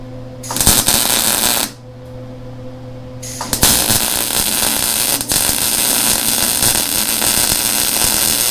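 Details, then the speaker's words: Lincoln Electric Handy MIG welder after about 6 to 7 months of use, welding a beveled joint: a steady, even sizzling crackle like frying bacon, with a short pause between passes; a normal, good weld. "Again, very nice weld. Very happy with that. You know, it does, once you get some practice in on this thing, it lays down a beautiful weld."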